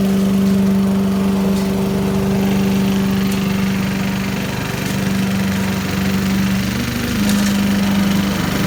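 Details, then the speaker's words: 1980s Billy Goat vacuum single-cylinder engine after fresh fuel: steady high-speed buzz, firing evenly without surging or missing; hard starting, owner suspects low compression, but runs like a champ; normal running. "well folks hey looks like it works looks like it just uh I don't know needs a few extra pulls maybe low compression or something but runs like a champ once it runs"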